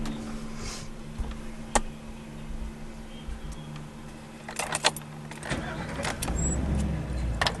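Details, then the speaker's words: Van after starter replacement, previously clinking and cranking laggy: quick brief crank, engine catches promptly and settles to smooth idle without clunking; starts like new, starter working normally. "Ooh, damn! I don't know if you guys heard that, but it started up like a brand new van."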